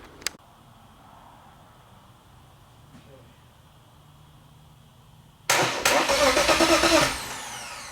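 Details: BMW engine being boosted after EWS delete, first start attempt with oil pressure confirmed: about 1.5 seconds of even starter cranking that never fires; no-spark no-start because no crank sensor is installed.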